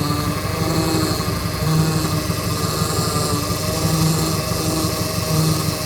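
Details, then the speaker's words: Opala power steering: persistent droning whine at idle with the wheel untouched; steering feels somewhat stiff; fluid level is fine, so not low oil; pump noise of unknown cause. "Aí, ó. Essa zoada aí, galera. Ó. Óleo tem, não é falta de óleo."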